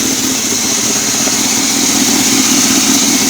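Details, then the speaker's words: 2008 Chevy Silverado 2500 6.0 at idle: steady high-pitched whir that stays constant; owner suspects the belt tensioner pulley bearing rather than the idler, then replaces the tensioner pulley. "what a weird noise coming from my 11 a Chevy Silverado I'm sure you can hear me I think my idler pulley or my ditch the pulley it's going bad"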